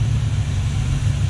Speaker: It always does that. You bring it down, it goes almost dies.